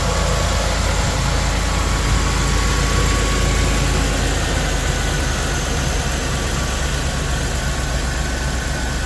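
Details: Restored 2000 Land Rover, 52,000 miles, stone-cold engine at 75°F ambient: steady, even low rumble with smooth fast beat, no knocks or misses; healthy cold start idle.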